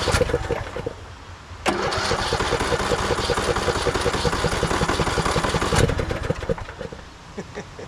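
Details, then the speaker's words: 2014 Craftsman T1600 lawn tractor, first start after bypassing a broken blade safety switch, disgusting fuel filter, battery doubtful: starter chugs at a slow, uneven beat for a while, then the engine catches and runs roughly; owner suspects a dirty carb. "I know you're all worried about the starter. It's gonna be fine. I'm more worried about batteries."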